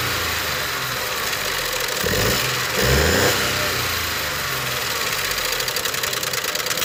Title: Ford 1.0 ecoboos vanos making noise